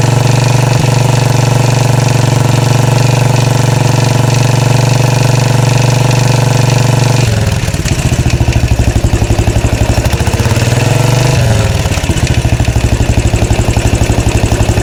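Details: 2013 Royal Enfield Classic 500 single, just reassembled after engine teardown to remove stray M5x35 bolts: decompressor noise gone, but a rattle swells and fades slowly over a lumpy thumping idle; oil level okay, owner plans to check tappets and rockers, source unknown.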